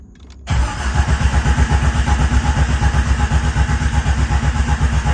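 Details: Jeep Cherokee XJ stroker, newly rebuilt engine, crank sensor refitted and oil pan re-torqued after an earlier no-oil-pressure issue: starter spins the engine evenly at about four pulses a second, no fuel, cranking to build oil pressure; normal cranking.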